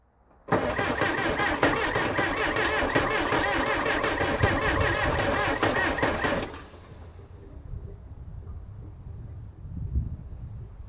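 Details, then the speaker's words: 1975 Case 680CK diesel backhoe, sat unused a long time, after an oil change (water found in the oil), coolant top-up and new charged batteries, glow plugs working: slow, labored cranking at about 160 beats a minute for six seconds, never firing. Owner suspects the batteries. "oh it's turning over slow so I'll have to figure out what that is maybe the batteries"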